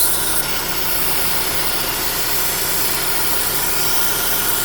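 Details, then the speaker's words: 2009 Holden Cruze JG 1.8L F18D4 petrol, white exhaust smoke: steady loud hiss over idle at the cam cover, changing in tone; vacuum leak from internally damaged PCV valve in the cover, cover needs replacing. "So when we start the car, you can hear that this side is a hissing noise, like a vacuum leak inside. Here you can hear the noise is changing."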